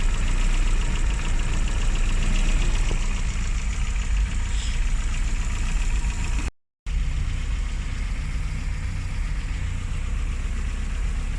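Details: Classic Mini (Riley Elf) with points ignition, idling after a hard cold start on the year's coldest day, following about three months unused: steady, even low idle, no misses or knocks throughout; normal idle.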